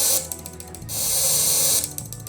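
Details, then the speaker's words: Homemade taser on a 12 V DC supply: 555 chip switches a relay through a MOSFET, clicking constantly; pressing the side button raises the frequency and lights the neon lamp. Chatter speeds into a continuous buzz for about a second, then back to clicks; normal. "You can hear it clicking. That is because the 555 chip is switching the relay through the MOSFET, and it just does that all the time whenever it's plugged in."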